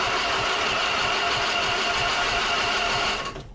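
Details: Husqvarna Z246 46-inch zero-turn mower, safety switches bypassed, key in Run: arcing the solenoid gives a steady, fast whirring crank for about three seconds that then cuts off; the starter spins when jumped, so the starter solenoid is bad.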